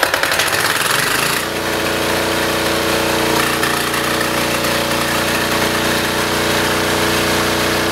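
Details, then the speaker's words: Military diesel generator with spark arrestor removed cranks briefly, catches and settles into a steady, even clattering run; the arrestor's back pressure previously caused bogging and crackling. "Which makes sense because diesels don't need as much back pressure. But this thing was having like loads of back pressure to the point where it was just bogging down, crackling, not sounding good. Take a listen at how good this thing starts up without that."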